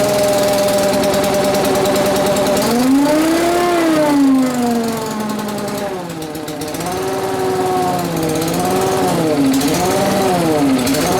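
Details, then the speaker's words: Small two-stroke blower started indoors with fuel newly drawn in: catches and runs, pitch swooping up and down with throttle blips; normal running. "oh the fuel Le in there woo working now I say it's working"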